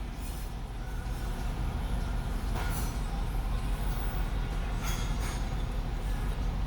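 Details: 2002 Toyota Sequoia at idle about 690–750 rpm, misfires on cylinders 4 and 8, bank 2 long-term fuel trim near -10%: deep rumble with uneven stumbling beat about three times a second — misfire at idle.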